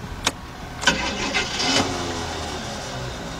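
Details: Abnormal starter cranking noise from a van: a few sharp clicks and clunks, then a short labored crank into a faint run, the distinct sound of a starter about to go bad; failure suspected, not confirmed.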